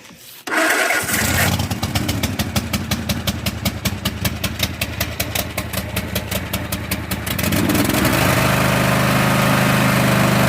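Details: Cub Cadet zero-turn mower started on choke with the park brakes on; it cranks, catches and settles into a loud, raw, rapid exhaust bark with little muffling. Loud exhaust, blown muffler baffles.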